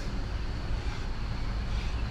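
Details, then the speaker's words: Jeep Patriot rear hub assembly just replaced: steady low road rumble with no growl or hum building with speed; new rear wheel bearing runs smooth and quiet. "you can hear the difference with the bad bearings on this with a good bearings"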